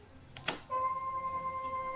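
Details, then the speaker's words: Motorcycle: a click as the key turns, then a steady, loud whistling fuel pump whine, noisier than before, persisting with the engine started, from a noisy fuel pump. "naririnig niyo yung fuel pump is maingay siya hindi siya yung ordinary ingay niya mas maingay siya compared doun sa dati"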